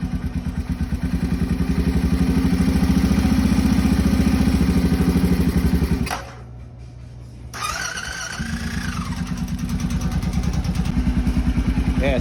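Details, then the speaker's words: Honda 650 engine idling roughly with an uneven, lumpy beat and a brief drop-out before picking up; abnormal engine noise, cause unclear, engine stalled afterward and would not restart. "not too bad in idle. Not sure what that is, but it can't be good."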